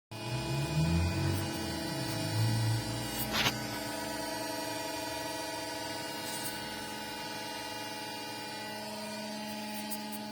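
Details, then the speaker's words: Creality Ender 6 3D printer: loud steady droning hum and whine with low rumble early on; top fans not spinning, sound coming from the bottom, cause unknown. "just showing that the fans on the top are not spinning. The sound is coming from the bottom."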